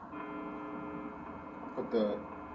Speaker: Put the fuzz on so it comes through a little bit more. That's the 60 cycle hum.